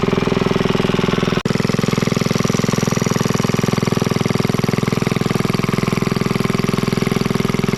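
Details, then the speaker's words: Rare Clinton 1100 series single-cylinder four-stroke antique engine, revived after freeing a stuck exhaust valve, now with an original oil bath air cleaner, new exhaust and fabricated governor linkage; steady even chuff about 158 firings a minute, no stray knocks, normal running. "Let you guys listen to this thing. It really sounds great."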